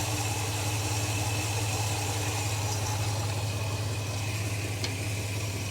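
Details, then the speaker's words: Holden HK engine idling after timing was advanced toward the marks with a timing light; uneven, stumbling beat under a steady low drone with occasional dropped pulses, sounds like a cylinder missing; cause not confirmed. "well let's bring it closer into time see sounds like she's missing"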